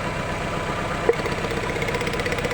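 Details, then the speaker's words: Chevrolet Lova with a shaking, misfiring, weak engine, after fuel regulator cleaning. The idle is lumpy and choppy, and pulling cylinder 4's plug lead makes no change even though spark is present. It is a dead cylinder. "Nah tidak ada perubahan kita angkat nomor empat tidak ada perubahan sama sekali"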